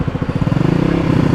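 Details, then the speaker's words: Scooter at full throttle with a broken exhaust stud: quick firing pulses with a faint puffing and slight pop-pop sound from a mild exhaust blow, with no backfiring. "it is blowing you can hear us very slightly blown and when I if I put it on Full Throttle you can hear it is not backflowing but there's a very slight pop pop pop noise"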